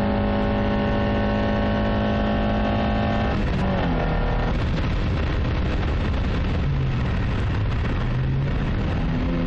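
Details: Toyota Carina 1.6 16V at idle: steady hum with a recurring uneven beat and shifting pitch; one cylinder misfiring from a bad injector, believed caused by running bad fuel.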